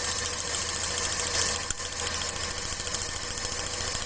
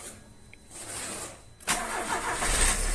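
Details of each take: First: Car engine with a cylinder misfire from a bad spark plug: a lumpy, irregular idle with a shake that never settles, and pulling that cylinder's plug wire made no change, identifying it as the dead cylinder. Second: Car engine after a starting problem was fixed (not the starter motor), battery at 12.5–12.6 V: short crank, clean catch, steady even idle without stumbling; normal start, though the alternator then fails to charge.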